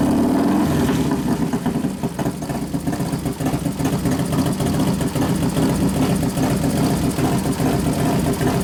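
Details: 1993 Harley FXR Evolution 89ci stroker, new build first start-up, air cleaner off: lumpy but even V-twin idle with a few clean throttle blips, no knocks or misses, accelerator pump turned down a couple turns; healthy normal idle.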